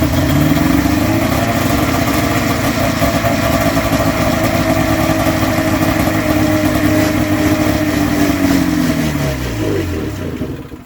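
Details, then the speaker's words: Polaris two-stroke snowmobile with new fuel pump, primed by pouring fuel in: runs rough a few seconds, revs sag and it dies once primed fuel is gone; spark present to both cylinders throughout, so fuel supply suspected. "I still saw spark right till the end. It died, so I still think it's fuel. Because when I pour fuel in, it does work."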